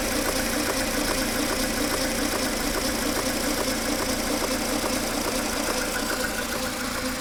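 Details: Mercedes A 140 W168, 2002, 133,000 km, noise started recently: rapid, very regular metallic ticking rattle about two per second over idle; mechanic suspects timing chain or chain tensioner.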